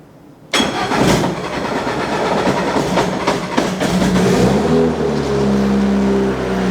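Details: Freshly assembled Honda K20 engine in a 244 GTK time attack Ferrari, first start on a slightly low battery: the starter churns briefly, then the engine catches and settles into a steady, even idle with no knocks or ticks.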